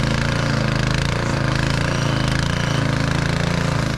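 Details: Snow blower's first startup after summer storage, pull-started, blue smoke from fogging oil burning off while lights, augers and chute are checked. Steady low chugging at constant speed with no misses, knocks or rattles: normal running.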